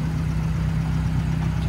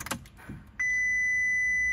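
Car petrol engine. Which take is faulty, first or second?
second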